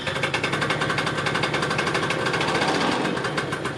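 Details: Yamaha Neo's 50 scooter, 50cc two-stroke, after service (new hoses, air filter, spark plug, 2-stroke oil), idling during a multimeter charging check: quick, even buzzy popping with no stumbles or fading. Normal idle.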